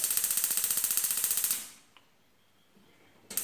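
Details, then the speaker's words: Six-year-old gas stove whose burners are slow to light: sharp, even igniter clicking at about four per second, a pause, then clicking again; the ignition is slow. "essas moças nenhuma tá funcionando Aliás Tá funcionando mas demora de pegar o fogo"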